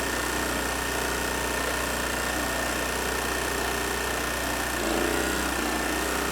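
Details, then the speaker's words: Troy-Bilt 900 W portable generator with a Briggs & Stratton 2.4 hp Vanguard engine, after a carburetor repair: steady, even drone holding speed at about 120 V with a 500 W load, no surging or hunting. Normal running under load. "as you can see it's hovering right around 120 volts let me turn the light on I've got a 500 watt load hooked up to it"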